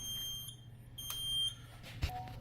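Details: Edwards EST3 fire alarm panel: short, shrill electronic beeps in bursts over a quiet room as the panel sounder goes off, reason unknown.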